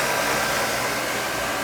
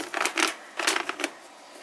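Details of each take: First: Old oil boiler burner after service with new nozzle, electrodes, motor-to-pump coupling and air band reset: steady, even blower roar with a smooth airy rush and no pulsing or rattles, running quieter than before; clean normal operation. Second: Old oil-fired boiler burner started with the limit jumped: after some clicking the motor spins up to a steady whirring hum with a rough edge; a noisy air shutter is also noted.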